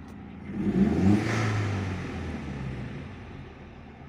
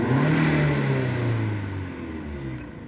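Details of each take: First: SEAT Leon Mk1 (1M) 1.8T petrol with new TiAL blow-off valve, soft original spring: revs rise and fall with a soft airy hiss lingering after throttle closes; valve seems to stay slightly open, a small leak, spring to be changed. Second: SEAT Leon Mk1 (1M) 1.8T petrol, TiAL blow-off valve refitted with original spring plus shims: revs up and holds steady clean pitch with no sag or stumble; revs no longer drop as before the fix, running normally.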